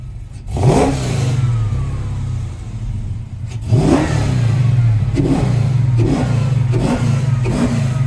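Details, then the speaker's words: Custom 1971 Plymouth Cuda (E-body) V8 with welded exhaust for 3-inch collector headers, just started. Deep, steady rumble with five sharp throttle blips that rise and fall cleanly, no rattles; healthy engine and exhaust. "We weld it up, put it on, we're done. And that's why it sounds great, doesn't rattle."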